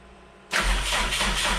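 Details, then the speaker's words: Freshly rebuilt rally car engine, first start, dry cranking after the fuel system was filled and checked for leaks: starter spins the engine with an even churning rhythm and no firing; building oil pressure. "Alright, so now we're going to dead crank it for a bit."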